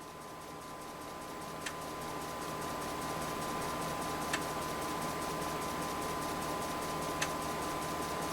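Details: Convergent Technologies AWS formatting an 80-track disk on a substituted 3.5" floppy drive, real disk media, around tracks 53–60: faint steady motor hum with a single sharp head-step tick every few seconds; normal format stepping.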